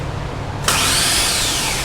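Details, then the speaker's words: 5.3L LS V8 swapped into a Jeep Comanche, newly wired with a Holley Terminator X ECU: the starter cranks the engine with no spark plugs in, giving an even whirring spin with no compression pulses. Normal starter engagement. "There's no plugs in it, so you don't really hear like the compression turning over, but you can hear the engine turning."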